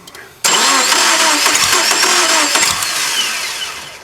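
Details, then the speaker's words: Subaru Impreza crank-no-start, no spark found, old crank sensor refitted: starter cranks steadily with uneven catches, injector pulse present and it seems to try to fire, but never picks up and runs. "So, we got injector pulse. And it sounds like it's trying to fire."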